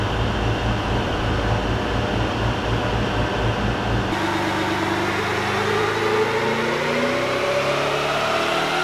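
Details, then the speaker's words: VEE080, a boosted LS V8 drag car under load. Choppy, stuttering pulses, then it clears and the revs climb smoothly. Intermittent breaking up, suspected to come from a badly terminated plug lead. "right oh guys so we still have a few issues um you can probably hear from the footage it's breaking up it's causing a few issues"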